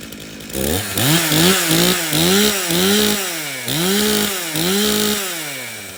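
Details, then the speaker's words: Stihl chainsaw from a customer's three no-start saws, run on fuel that had some dirt in it: crisp buzz revving up and dropping back cleanly through repeated blips, no stumbling or bogging. It runs properly. "okay well this thing starts and runs we can take a quick look at his air filter"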